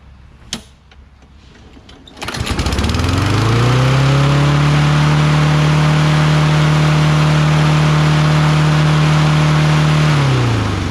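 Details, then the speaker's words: Toro Recycler XT675 Kohler mower after magneto cleaned; catches after a pull and races to high steady screaming pitch far above normal speed; over-revving, governor set too high. "i have to fix that revving okay i reset the governor again here we go what the hell this is a phantom problem"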